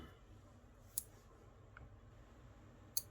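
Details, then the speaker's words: Elegoo Arduino starter kit relay, first test of Arduino outputs driving it: two crisp clicks about two seconds apart in a quiet room, relay pulling in and releasing cleanly; it works, though the builder is unsure why. "oh beautiful okay okay it's working um i'm not sure i understand why it's working but it's working"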